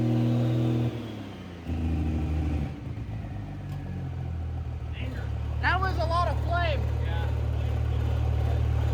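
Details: Pro Street truck with new Rossler TH400, after fixing a loose wire that killed the engine on hard shifts: deep, steady rumble climbs and holds under throttle without stumbling or cutting out; normal revving.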